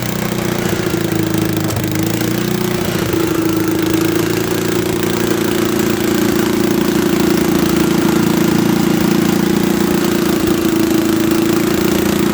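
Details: Late-1960s or early-1970s Bolens tractor that sat in a barn for many years, run with a bypassed ignition: a steady, even low drone with constant pitch and no misses or knocks; it idles smoothly.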